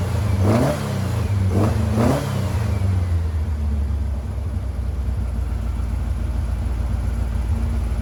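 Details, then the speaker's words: 1956 VW Beetle flat-four with replacement 40mm IDF/HPMX carbs, one previously leaking fuel, linkage and adjustments still out: quick revs then steady even idle; normal running now on both carburetors and all four cylinders instead of two. "well it's amazing what a difference two functioning carburetors make and four cylinders versus two cylinders so this actually the best the cars ran in a little bit"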